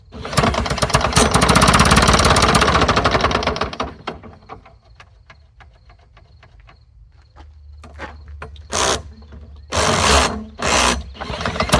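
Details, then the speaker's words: Lawn-Boy "bricktop" two-stroke mower on fresh 32:1 fuel mix, spun with a worn drill: a few seconds of cranking then short bursts, never catching; owner suspects a clogged carburetor. "Carburetor might be clogged."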